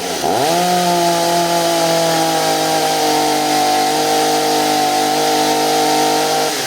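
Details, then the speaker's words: Stihl MS250 chainsaw after carburetor and fuel line replacement: revs up and holds a steady high buzz, slightly soft and burbly rather than crisp; running a bit rich on the high-speed screw, to be leaned out. "a all right it's running a little fat on the high side so you're going to close that up a little bit"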